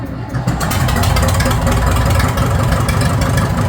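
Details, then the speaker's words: Farmall 650 diesel tractor, cold, chugging unevenly with stumbling irregular beat and no steady idle, white diesel smoke and fuel spraying from a leak; suspected air in the injector lines or other issues, not yet warm. "So it could be air in the lines, or it could have some other issues going on. When you see the white smoke, that's diesel fuel."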